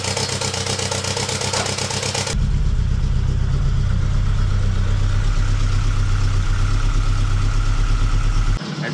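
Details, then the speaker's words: VW Golf 2 GTI with Digifant injection, start-up before repair; lumpy uneven idle with a dead beat about four times a second, running on three cylinders: misfire, owner suspects the fuel circuit, not confirmed. "sur trois pattes là actuellement je l'entends vraiment bien en étant ici après en vidéo c'est pas forcément facile de s'en rendre compte mais elle tombe sur trois PES"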